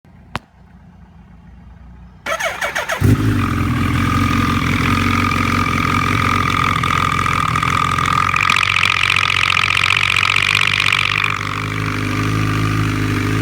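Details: Engine on a bking motorcycle fires after a brief crank into a busy idle with metallic clatter: loose clutch basket bolts were hitting the crankcase, fixed by retightening with threadlocker.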